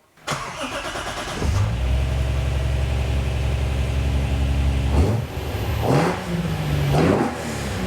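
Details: 2JZ ITB Toyota GX81 Mark II first start, small fuel pump: cranks briefly, catches cleanly into a deep steady idle, then two sharp blips rise and fall crisply; starts and revs healthy.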